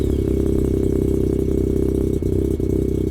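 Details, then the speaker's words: Rotary engine with a new turbo and blow-off valve wired up, warmed to about 140 degrees, closed-loop fuel on, mic at the front: a faint steady turbo whistle over the exhaust, boost no longer fluctuating, a normal healthy sound. "I can already tell. Yeah, it already sounds so different. It's not fluctuating so much."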